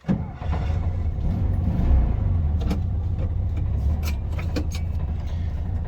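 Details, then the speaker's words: 1974 Volkswagen Beetle on a temporary fuel canister after a new tunnel fuel line and pedal assembly refit: quick catch on the starter, then a deep, even air-cooled chug holding steady at idle; starts cleanly and runs healthy. "Starts out pretty good."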